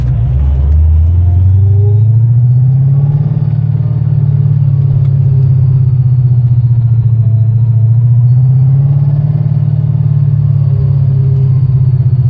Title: Bad bearings? Part 2